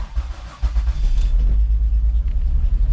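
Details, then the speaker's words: 2005 Mazda Tribute 3.0L V6, check engine light and rough running: cranks and catches into a lumpy, stumbling idle with misfires on cylinders 1, 4 and 3; won't stay running without throttle. "Hit start. It is definitely misfiring. And we definitely got misfires on cylinders 1, 4, and 3, it looks like."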